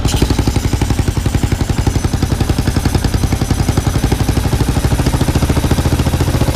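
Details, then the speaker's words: Kawasaki KLR650 single-cylinder idling during a propane vacuum-leak test: steady thump at about three beats a second, and the RPM jumps up when propane is drawn in at a leak. Leaks were found on the intake and exhaust sides, with a cracked stock plastic choke nut. "I go back and I put the propane back to it you'll see it jump up that's what you're looking for"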